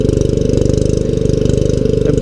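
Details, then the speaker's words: Kohler engine on a three-wheeled hauling trike/cart, after the governor lever was adjusted to cure a stuck-open throttle and the flooding carburetor was replaced with a Kohler K91 clone; fast, even thumping beat with no knocks, misses or surging, running smoothly under load. "But I think with this Kohler, for the next 100 years, you can come outside and hit the key, start it up, and ride it around."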